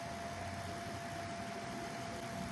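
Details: Recovered Foxconn LGA775 DDR2 motherboard, previously freezing, noisy and vibrating, after a homemade fix: smooth steady whoosh with faint constant tone, no ticking, rubbing or wobble; cooler fan running normally.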